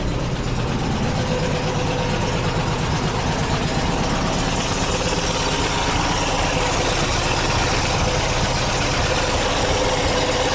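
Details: 1979 VW bus air-cooled flat-four rebuilt with twin Solex 44 carbs jetted by Kaddie Shack, big heads, Scat 35 cam, 2100 kit, J pipes, secondary fan oil cooler, about two years after conversion: steady smooth low chuff, no knocks or misses; normal idle.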